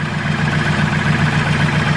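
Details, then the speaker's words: Turbo K24 Integra idling after exhaust leak repair, car on lift: smooth steady idle, low even burble, no ticking or puffing from manifold or band clamps; all leaks fixed, normal idle. "she's all fixed no more leaks so we're gonna put it back down on the ground"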